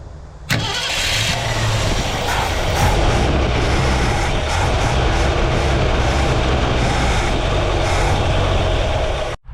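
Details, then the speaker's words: Abandoned 1967 Ford Galaxie 500: fuel poured into the carburetor, with a new tank or bad line suspected. Long crank, then loud ragged running that never settles, a hard start and stumbling run; fuel starvation and a vacuum leak are suspected. "Still crank, pulled a little bit of fuel. See, what is it doing there?"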